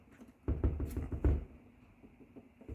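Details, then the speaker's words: Genie ISL950/A garage door opener, loosely mounted on angle iron lagged with 10 mm lags, on a small door: irregular low thumps and clunks in short bursts as the opener bounces and a sensor strikes the ceiling. "by the way, that noise is just this bouncing and then this sensor hitting the ceiling, but it's"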